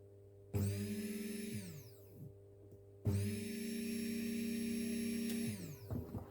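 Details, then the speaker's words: Fuel pump from a Mazda MX5/Eunos Roadster off the road 13 years, removed and bench-tested on the ground: two clean bursts of steady motor whine; pump works, so car-to-pump wiring is suspected faulty. "nice so my fuel pump is fine which unfortunately means the wiring from the car to the fuel pump isn't"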